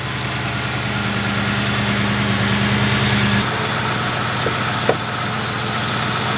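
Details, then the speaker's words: 2003–2011 Ford Crown Victoria/Grand Marquis idling after replacing belt tensioner, idler pulley and serpentine belt with Motorcraft parts: steady even hum, belt tracking correctly, no squeal, chirp or rattle; normal idle. "The belt is tracking the way it's supposed to be. And there's no crazy loud, weird noises."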